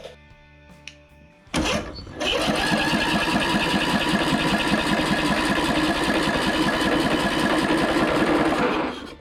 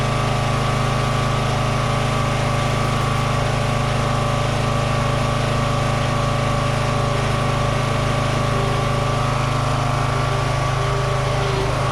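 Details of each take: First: Free Toro 14.38Z zero-turn mower, coil regapped to flywheel, good compression: engine spins on the starter at a quick even beat about seven seconds without a pop; no spark, ignition coil confirmed bad. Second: Toro 14.38Z zero-turn mower: steady low single-cylinder drone with an even beat and no misses or knocks; runs and works, slight smoky smell noted, oil burning unconfirmed.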